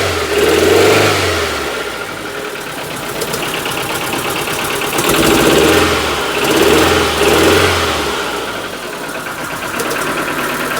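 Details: Proton 1.3 GL garage find, off the road for a few years, just started and briefly warmed. Revs swell and fall over several throttle blips with an uneven, lumpy, tractor-like beat instead of a clean climb; sounds like it's misfiring.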